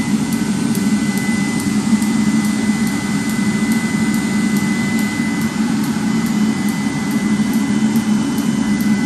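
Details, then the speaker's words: 30,000 BTU/hr multi-fuel fuel-fired personal cab heater for a 1973 M35A2 deuce and a half, on 24 V (about 24.3 V), just lit after brief howling at ignition, giving good heat: steady low roar, constant whine, no surging or popping; burner and blower running normally. "And you heard it howling there a little bit like I was talking about. Now it's running. Good heat."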